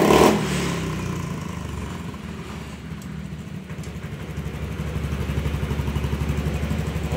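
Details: Honda Beat scooter, after a new ECU was fitted and initialised with no error codes: quick, even firing beat that picks up cleanly toward the end with no stumble or misfire; runs healthy.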